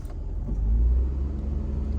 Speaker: so right there when we turn the AC compressor on the idle went up so the computers are doing what they're supposed to do but going through their idle relearn procedure